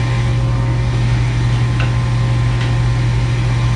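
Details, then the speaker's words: Furnace showing error code 3, pressure switch stuck open, so the inducer motor runs continuously. It makes a steady low hum at a much higher rpm and sounds different from the day before. "that would be this it says pressure switch stuck open and that would cause that motor to continuously run i would tell you that motor is running totally different than yesterday"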